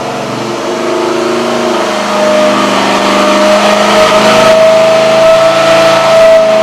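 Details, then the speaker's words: Near-stock 1967 Pontiac GTO 400 cu in V8 on the dyno under full load, with its flat-tappet cam already broken in; it is rated at 325 hp and over 430 lb-ft. Loud, steady roar climbing smoothly in pitch with no knocks or misses; normal full-load run. "So we're going to look at the engine working hard and listen to it grunt and groan. As I mentioned, this engine will work harder in the dyno than it's going to work in John's car."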